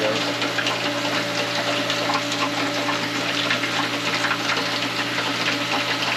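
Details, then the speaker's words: Hayward DE pool filter pump after a diatomaceous earth recharge, other ports opened: steady motor hum under rushing, hissing flow with some air still drawn at the top of the filter; still priming, should clear shortly. "Cleared up and minimal air bubbles. You can hear air at the top of the filter, but that'll go away shortly."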